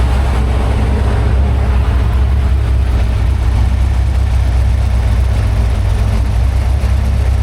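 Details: Freshly built 347 stroker small-block Ford, carbureted, on a run stand at first start-up, timing being set around 14 degrees, aluminum flywheel, carb still cold: steady V8 burble at idle, evenly paced, no misses, ticks or knocks; smooth, healthy.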